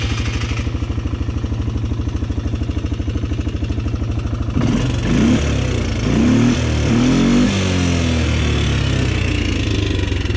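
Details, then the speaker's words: Polaris Sportsman 300 single-cylinder after timing chain and valve adjustment: idles with a light top-end tick about three per second, then revs unevenly; still tapping, valve tap suspected, no metal flakes found, cause unclear. "the engine still makes that noise but from what I've read apparently a lot of people have that exact same noise"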